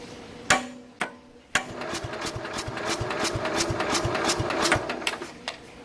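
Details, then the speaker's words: 1969 Bolens 850 tractor, original Wisconsin S8D 8¼ hp engine, unrun for over 3 years, 500 cranking-amp battery on charger: warm engine cranks slowly with uneven clacking and won't restart; owner suspects compression leaking from the cylinder, unconfirmed. "See, and it doesn't want to start up again right away, which is really bizarre. What the hell? See, a normal engine shouldn't be having this much hard of a time to start after it's already been running."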